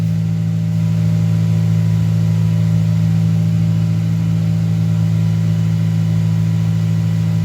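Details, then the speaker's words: Honda Accord CD5 2.2 four-cylinder after a new cheap 2 3/8-inch cat-back exhaust, no resonators: loud, steady low drone at idle, even and smooth, no puffing or ticking; no exhaust leaks. "Don't get me wrong. It's still a 4-cylinder with a shitty fart can. All right. Don't get me wrong. But I expected it to sound about 30 times worse."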